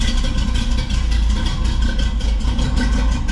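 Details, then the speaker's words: 1985 Chevy C10 with mechanical fuel pump, running on a new driver-side tank after a new selector valve, sending units and fuel lines: a deep, steady, even idle with no misses or knocks, healthy, and no leaks seen. "looks nice and dry so far I don't think we're having any leak"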